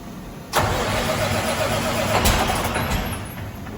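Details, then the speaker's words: Detroit Series 60 diesel swapped into a truck, first start after priming fuel, no coolant yet: starter grinds briefly until fuel comes up, engine catches and settles to steady idle, working air through; extended cranking before start. "Just need to get some fuel up there. Ready to go, I guess. Well, runs. It runs, guys."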